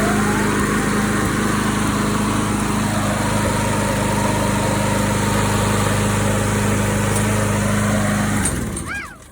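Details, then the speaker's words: Troy-Bilt TB210 mower after restoration (new engine brake cable, salvaged axle, gas cap still awaited): steady, even small-engine drone holding one speed for eight seconds, then a smooth shutdown; runs cleanly. "a little update i just finished the troy built waiting for a gas cap to come in but cable's on starts and runs drives everything is ready to go"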